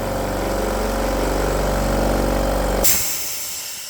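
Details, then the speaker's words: Unloader valve on a budget AEG 60 L silenced air compressor after fitting a new pressure switch: motor hum runs steady, then cuts off at full pressure with a short sharp hiss as the unloader dumps head pressure; normal release at cut-out, leak fixed. "and that's the Escape of air from that valve and it turns into the open position as the motor turns off so that's actually pretty good everything seems to be functioning again fantastic"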